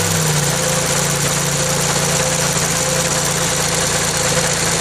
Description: Kancil l2 air cond compressor electric noises .